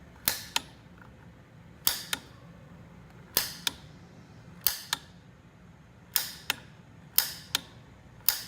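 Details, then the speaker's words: Gas water heater after a new gas control valve and pilot assembly were installed, control set to pilot with the button held: sharp paired clicks about every 1.5 seconds as the piezo igniter sparks at the pilot. Normal igniter clicking; the pilot then lit. "You hold the button down, which is supplying gas to the small pilot tube, which is this tube right here, going down to the pilot. Okay, then you hit the igniter."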